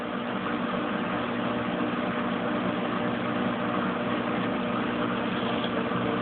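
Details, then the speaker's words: Kenmore Oasis top-load washer after repair for a recurring OL code that stopped cycles and forced manual drain and spin: drain ends and the drum spins up to high spin with a steady, even hum, no knocking or scraping, getting further than before the fix. "Sounds like it's starting to spin up. I can hear it spinning. Now it's going to high spin."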